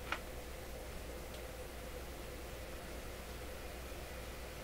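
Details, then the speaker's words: Florida AM/FM/SW tube radio, after replacing an open resistor in the audio preamp plate circuit: soft, steady FM interstation hiss with brief clicks and no hum; tubes were popping at switch-on. "that's interesting I'm hearing the FM hiss we didn't hear that last time"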